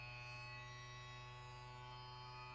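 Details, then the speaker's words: New QIDI Q2 3D printer running for the first time after unboxing: loud, steady, harsh drone with many high tones like an angle grinder, far louder than expected; loud grinding noise, cause unknown. "Sounds like a um Sounds like a angle grinder. Horrible. Horrible. Horrible."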